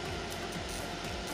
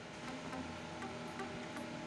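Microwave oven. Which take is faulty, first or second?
first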